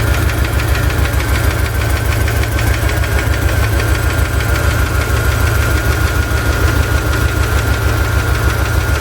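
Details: Chevy ZZ4 350 V8 at rough idle with a steady deep knock about 79 a minute, seemingly from the driver's side, persisting after valve lash adjustment; owner suspects piston slap or a spun bearing, unconfirmed.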